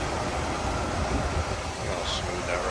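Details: 1978 Cadillac Eldorado Biarritz 425 V8 idling: a deep, low rumble holds steady with no misses, knocks or ticks; smooth and even.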